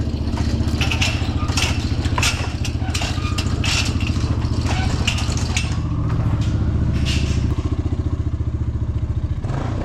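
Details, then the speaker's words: Honda TRX350 ATV single-cylinder after carburetor cleaning and diaphragm check revs with choppy uneven note, won't hold top end and falls flat; losing power at high RPM, cause unknown. "I don't know why it's losing power at high RPM."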